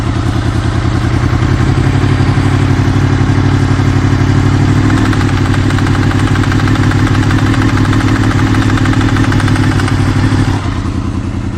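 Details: Honda VFR800 VTEC V4 at about 56,000 miles, warm above about 80C idling low: fast uneven tapping, about four a second, over the exhaust beat, heard between 1500-2000 rpm, seemingly from the right side, possibly rear cylinder; engine knock, cause unknown.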